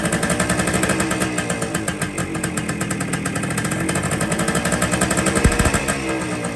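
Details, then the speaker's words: 1973 Kawasaki F7 175 two-stroke barn find, close to the carb: rough, uneven popping that only keeps idling with the side cover pressed; air leaks past the loose-fitting side cover, which needs replacing for a proper seal. "That's where the air leak is."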